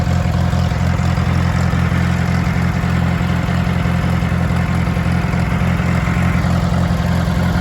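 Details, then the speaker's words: International Harvester 424 utility tractor, 4-cylinder gas engine with an oversized carburetor jet, still cold. Steady, low, even idle with no knocks, misses or rattles, with good oil pressure. Normal idle. "So you can see here we are idle. Got good oil pressure. It's not up to temp yet, but it runs really good."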